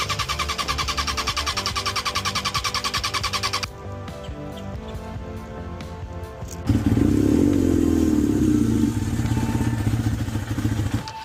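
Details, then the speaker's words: 1992 Suzuki Katana 750F four-cylinder at idle during restoration: lumpy, choppy idle running on two cylinders, cylinders two and three not firing; owner later suspected a coil pack. "Okay, it sounds like it's running on two cylinders."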